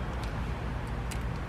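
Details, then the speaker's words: 1980 Honda CB750F Super Sport drag bike, long stored: a few sharp single clicks at each starter press with no cranking; solenoid clicks but nothing moves, owner suspects a bad or stuck starter. "I can hear the solenoid clicking, but nothing's moving, so it could be"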